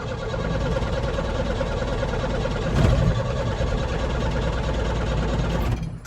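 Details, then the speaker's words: 1975 MK1 Ford Transit diesel, not started in a long time and briefly cranked in gear: steady cranking churn with a brief catch near three seconds that never takes. Its fuel system acts deadheaded; cause unconfirmed. "So we'll crank it up, see if it'll start. Watch out, guys. Yeah, and it hadn't been started. Whoops, it's in gear. Well, they won't come around anymore. Yeah, see, it'll almost start."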